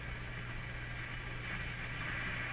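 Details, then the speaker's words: Grundig SO 152 CA console stereo on the AM broadcast band around 820–860 kHz with antenna connected: only a steady hiss with low hum underneath and no stations coming through; consistently weak AM reception. "all these stations we should be able to hear them quite quite clearly can't hear any of them noticed this before it's consistent bad performance on broadcast band"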